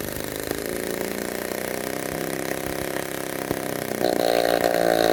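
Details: Restored 1946 Power Machinery chainsaw (Vancouver, BC) running after restoration; buzzy two-stroke ticks over unevenly, then picks up to a higher, steadier pitch near the end: runs fine.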